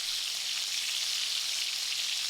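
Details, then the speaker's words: Short-circuit MIG, push angle, 19 volts, 330 inches per minute, 0.030in (0.8mm) wire: steady, even bacon-frying crackle with no pops or gaps; correctly set arc. "They say that it's supposed to set the machine where it sounds like bacon frying."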